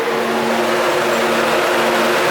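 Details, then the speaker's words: LS3-swapped Nissan 240SX (S13) with Mishimoto 11-inch race fans on shroud bolted to Mishimoto radiator, switched on via kill switch engine off: loud even rushing roar with steady hum, no ticking or rubbing; both fans working properly. "let's go ahead and hop in the car and flip this kill switch and turn on the fans oh listen to that listen to those race fans Roar there we go now that's a lot of air flow"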